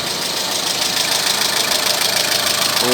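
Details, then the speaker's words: Renault Megane petrol K4M engine running like a diesel: rough idle with a quick, uneven tapping knock, about three per second, under heavy hiss; engine knock at idle. "вот рено меган приехал думаете это дизель нет это бензин работает как дизель"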